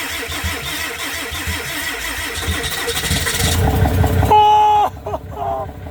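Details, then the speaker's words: Flooded 2022 Rocky Ridge Ram 2500 after swapping in a replacement starter: several seconds of rhythmic cranking, then engine catches and settles into steady run with faint tone on top; starts normally. "Probably want to shut it off, but man, we got this thing fired up."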